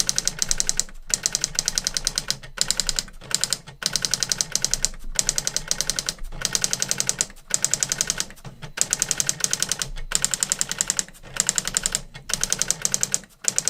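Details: New-in-box circa-1985 Epson DX-10 printer printing a Windows 2000 generic text-only test page via printer port: fast crisp clattering strikes with short pauses at carriage returns, even and steady; worked perfectly, text sharp, normal printing.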